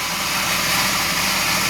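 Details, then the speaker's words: Restored carbureted Suzuki, freshly rebuilt engine with new pistons and rings, warming up after first start with no adjustments yet: even steady idle under hiss, no stumbles, completely stable, not misfiring. "It looks like just completely stable and not rough at all."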